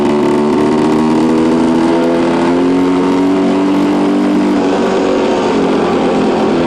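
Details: 1973 Suzuki TS250 two-stroke being ridden after a rebuild, its first ride with no bugs or major issues. Buzzy note climbs and eases smoothly with the throttle, firing evenly without misses or rattles; running healthy.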